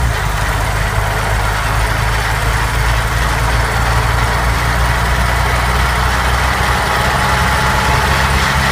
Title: Gearbox noise